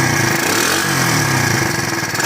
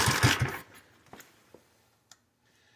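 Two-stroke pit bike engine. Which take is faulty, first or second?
second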